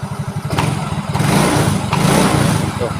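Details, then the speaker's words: Yamaha Mio J after repair for a rough, knocking, smoky, oil-burning engine. The badly scored piston and the cylinder block were replaced with aftermarket parts. Revving now gives firm, even exhaust pulses climbing cleanly with each blip, no rattle or knock: healthy. "Nih suaranya jos banget guys geberannya juga jadi lebih Wenak pokoknya"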